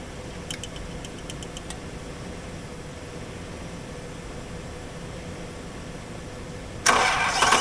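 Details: 1984 Toyota Land Cruiser FJ60, rusted, not run in many years, on weak battery/jump box; uneven cranking churn about seven seconds without catching, then a sharp louder burst; cranks but won't start.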